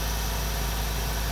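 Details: Honda Integra classic car idling after replacing the blown ignition coil, which had a hot-spot blotch: steady, even low rumble with no misses or knocks; running smoothly and healthy again.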